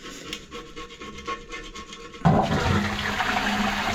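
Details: Low-level toilet with plastic cistern, flushed after the loose, back-leaking pan was refixed: quiet bumps, then a sudden rush of water settling into a steady even flow. A clean, normal flush with no leak.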